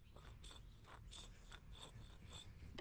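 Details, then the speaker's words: Old front wheel bearing removed from a 2021+ Ford Bronco and spun by hand; it gives a rough ratcheting grind with gritty clicks, showing it is worn, whereas a greased undamaged new bearing spins silently. "yeah that that's not what a bearing should sound like"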